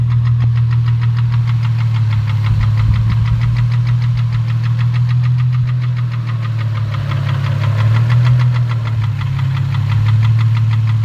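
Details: 2004 Infiniti G35 with rough idle: deep uneven idle with a steady knock about three per second, suspected rod knock, unconfirmed.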